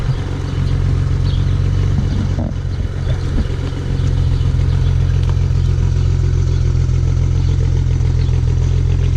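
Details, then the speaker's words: 2008 BMW 335xi coupe at 88,000 miles on a cold start: loud, low idle with an uneven stumble three to four times a second, a small misfire and injector tick. "it does have a small misfire I could hear it a little bit of an injector tick I set your Eiling rough right now"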